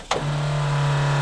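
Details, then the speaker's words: Caterpillar D7F dozer at its first start attempt in 10 years: a click, then the small electric prime pump settles into a steady, even low hum while priming the injection pump. It is running normally. "That's our little prime pump. We're gonna let that run for a minute, prime up the injection pump."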